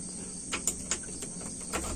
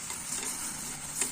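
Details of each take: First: Engine with a long-cranking-when-hot problem, hot start done without AC on: a few clicks, a brief crank, then it catches at once and settles into a steady idle; normal hot start. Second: Carbureted engine after hot shutdown (AC off in this test): sharp steady high hiss as fuel sprays from a tapped hose; excess fuel line pressure suspected of wetting the carb and causing long hot starts.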